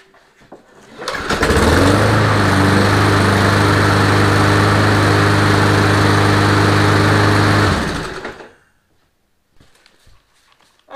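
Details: Briggs & Stratton push mower with plastic carburetor after replacing the worn carburetor diaphragm: catches quickly and holds a smooth, even buzz for about six seconds before shutoff; steady running, nothing amiss.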